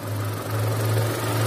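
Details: Chevrolet Captiva petrol, previously shaking, misfiring and losing radiator coolant, after repair at a specialist workshop: even, steady low idle hum with no stumbles, shakes or misses; engine now idles smoothly.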